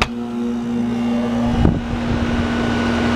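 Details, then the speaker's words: AC condenser fan after replacing the failed run capacitor, running without a jumpstart: steady, even hum and constant low drone with no rubbing or labouring; fan spins up and runs properly. "was fast spinning now without the JumpStart all right so we're up and running now"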